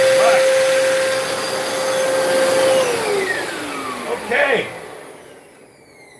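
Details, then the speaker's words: Hoover Spin Scrub carpet cleaner brushroll tested with brush installed, brush needing cleaning; steady motor whine then smooth spin-down, no scraping or knocking; normal brushroll operation. "that brush need cleaning. All right, so the brush is working. The brush is working."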